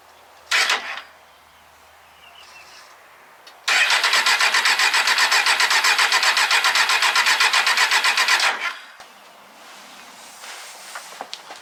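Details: 2003 Kawasaki Z1000 left sitting outside six years, mouse-infested: starter grinds evenly about four pulses a second for five seconds and engine never fires — prolonged cranking, no start.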